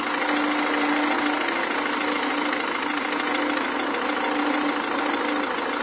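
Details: Renault Scenic 2 1.5 dCi diesel idling: sharp uneven clatter about three beats a second on the engine note; suspected injection knock, not confirmed.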